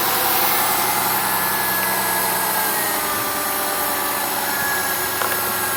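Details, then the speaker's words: 2002 Mercury Cougar started with a jump pack; engine running steadily with a faint high thin whine over the hum, alternator singing as it charges after the jump; alternator whine. "Try cranking [Applause] it. Hear that alternator singing right now."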